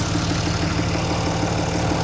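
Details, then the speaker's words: Diesel truck whose turbo was installed 12,000 miles earlier: at idle, a rough, noisy tone with a regular flutter about six times a second. The turbo has failed; an installation error, possibly a hose not replaced, is suspected. "This turbo was replaced by us 12,000 mi ago. Noisy. Let's go listen to it."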